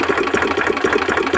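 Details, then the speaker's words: Two-cylinder racing lawnmower engine for a 50 mph lawn tractor build idling: uneven lumpy pulses with an occasional stronger beat as the second cylinder catches now and then; intermittent misfire, owner suspects loose spark plug wires or a bad coil. "think it's on one cylinder, and that right there is probably a catch on the second cylinder."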